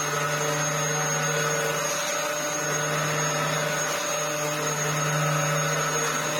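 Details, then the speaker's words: Dyson DC07 Argos Special after a belt change and check-over: a steady, even motor whine over a constant hum, with no flapping or ticking from the brush bar. The vacuum runs normally. "yeah I think that's running absolutely fine all that was was the belt zipping up Riding High yeah I think it runs okay"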